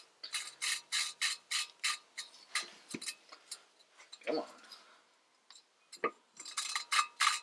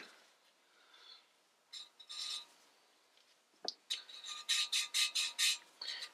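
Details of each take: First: Lapping a valve on a B20A5 head from an '88 Honda Prelude. Quick gritty rasping strokes turn less gritty as the seat cleans up, but the seat is not yet mated. The parts had WD-40 on them and should have been degreased. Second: Valve lapping on the B20A5 head from an '88 Prelude during a rebuild: the rasping strokes sound smoother and less gritty as the seat grinds clean, despite WD-40 left on it.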